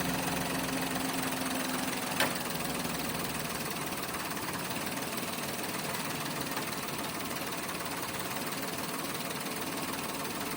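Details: Toyota Wigo automatic with low power idles roughly with an uneven, knocking pulse: an engine misfire.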